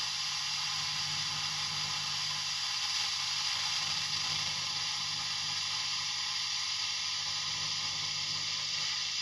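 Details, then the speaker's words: Fender ProSonic valve amp on the bench after a full recap, all controls on 10 with reverb up. Steady high hiss over a faint hum with nothing playing: slightly noisy but not unusable. "Okay, slightly noisy, but not unusable, especially when it's turned all the way up."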